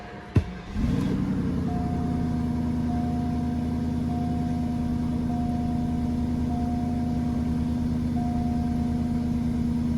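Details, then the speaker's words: Northstar, previously P0300/P0121 with surging idle, on a small amount of gas because of a fuel leak: a brief start-up flare, then a steady, even idle with no surging; a normal idle. "Big time improvement. Except for running back out of gas."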